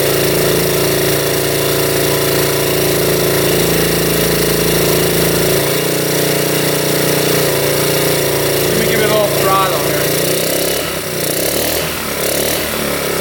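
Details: 1972 Honda CT70 with bogging problem, timing checked against F mark: flat rough drone through idle and throttle, no crisp pickup; ignition about half an inch late so it runs poorly, retarded timing, points gap to be adjusted.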